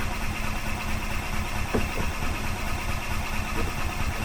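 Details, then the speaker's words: 2005 Club Car Precedent gas golf cart, sat about five years, cranking on choke: the starter turns it over steadily but it never catches; owner suspects a varnished carburetor bowl, the fuel pump is seen pumping, and it soon starts. "the bowl could be varnished on the carburetor so looks like it's pumping though so that's a good thing"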